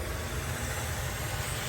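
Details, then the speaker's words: Car AC system pressurised with nitrogen to about 160 psi through the high side after evacuation: a steady, even hiss under a low rumble from gas escaping at a leaking fitting, where black residue and dust are built up. "kill the vacuum let's turn on a little pressure here 140 150 160 i hear something already"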